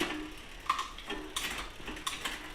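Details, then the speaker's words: Biktrix e-bike with the shift cable tension deliberately misadjusted: irregular sharp clicks about every half second from the rear cogs as the chain jumps gears. Chain skipping from wrong cable tension. "Now you can see well you can firstly you can hear that clicking noise and you can see that the chain's kind of jumping around not really staying on the gear very well."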